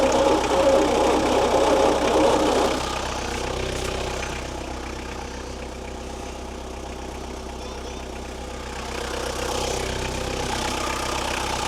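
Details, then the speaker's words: Long-sitting 1972 Bedford J series truck petrol engine, ignition timing just corrected at distributor, runs only while fuel is tipped into the carburettor (owner wonders if the jet is blocked): catches roughly, fades weak and uneven, picks up again; doesn't sound healthy. "Doesn't sound real healthy. The old engine. She's still only running off when I tip into her."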